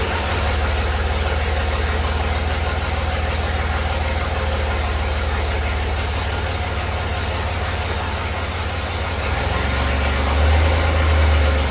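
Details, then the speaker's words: Willys Jeep CJ5 with swapped Chevy 4.3L V6, exhaust only run halfway with no muffler or tailpipe, setting timing: long steady idle, even low thrum near four pulses a second, lazy note. Ignition timing retarded; the distributor won't rotate far enough to advance it. "all right so my problem is I don't have enough rotation on my distributor it wants to be Advanced more than that um but I can't quite get it"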